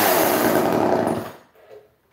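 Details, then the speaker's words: Chainsaw during carburetor adjustment, blue needle one turn in after a suspected clogged needle: snarls at high revs with ragged uneven note, then cuts out; sounded better after adjustment. "a little better let's try it another half turn so that's oh that's all she has I'm the blue one it's just one turn in that sounded better though"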